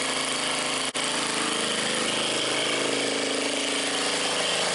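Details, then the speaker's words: Old scrapyard Briggs & Stratton generator on fresh gas after priming and choke. Steady, even running with a rough, busy clatter and one brief dropout, then it keeps going; it runs healthy after long storage. "Running like $1,000,000. Well, that thing just totally blew my mind, man. First the engine wasn't blown up, next the carburetor even works."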